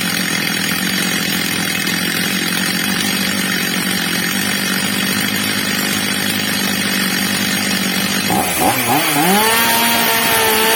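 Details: Stihl MS230 chainsaw, old and well-used, after replacement carburettor fitted and tuned: steady buzz then snaps cleanly up to a high, even scream with no bogging; carburettor set right, normal running.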